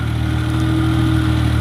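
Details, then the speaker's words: Maruti Omni after rear differential fully replaced (rear wheels previously not driven): driving in first gear, steady even engine drone pulling smoothly with no clunks or gear whine from rear axle; driveline healthy. "ഇപ്പോൾ വണ്ടി കറക്റ്റായിട്ട് നല്ല free ആണ്. നല്ല first ഗിയറിൽ തന്നെ ഉണ്ടോ, നല്ല മൂവായിട്ട് പോകുന്നുണ്ട് കേട്ടോ. ഇപ്പോൾ കുഴപ്പമൊന്നുമില്ല."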